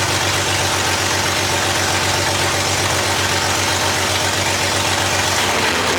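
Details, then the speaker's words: 2JZ-swapped Nissan 240SX first start, no exhaust, no O2 sensor, wrong ECU and MAF, possible vacuum leaks: loud raspy uneven idle with hollow open-pipe roar; rough running, cause not confirmed. "there's there's probably a vacuum leak or two and some other stuff there's no exhaust and there's no O2 sensor and the wrong ECU and the wrong mass airflow could be some of that but we'll see"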